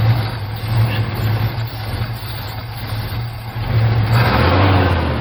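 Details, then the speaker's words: 1975 Chevy C10 started after sitting 18 years: catches and settles into a steady even low rumble with a brief rev near the end, running on its own without stumbling; normal running after long storage. "Look, it's running on its own. It's running on its own. It's running all on its own."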